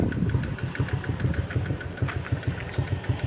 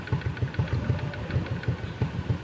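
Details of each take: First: Honda XRM 125 (RS) single-cylinder idle after valve clearance set to 0.05 mm: valve tick gone, but a light steady knock about three a second remains, swelling with a blip; attributed to small gear at primary/secondary clutch needing adjustment. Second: Honda XRM 125 (RS) single-cylinder after valve clearance adjusted to 0.05 mm: quiet even low idle pulses about seven a second, no valve tick; normal idle.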